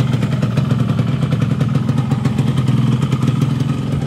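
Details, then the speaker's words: Yamaha RX King two-stroke with newly fitted Nagoya cylinder block, first test run with extra two-stroke oil; even crackly idle, steady quick beat, no knocks or rattles, normal. "suaranya Masih normal ya kayak biasanya enggak ada terdengar suara-suara aneh Masih normal"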